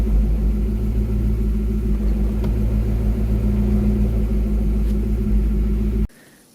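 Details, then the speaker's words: Porsche 928 after 5-speed manual swap, idling in neutral with clutch pedal up: a steady low drone and faint hum from the torque tube area that stops when the clutch is pressed and the driveshaft spins down; quiet in gear; suspected bearing noise. "I've noticed that when the clutch is engaged sort of pedals up and sitting in neutral you know you can hear a bit of noise from the side of the car something like from the torque tube"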